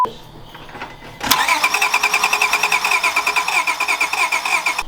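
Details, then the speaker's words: Car with freshly painted valve covers, cold start with the battery just reconnected and the cam position sensor accidentally unplugged: steady starter cranking about three beats a second with no firing; crank no start, which looked like a timing issue. "Alright folks, technical difficulties. We had the cam position sensor unplugged. It was in the socket. It looked like it was plugged in."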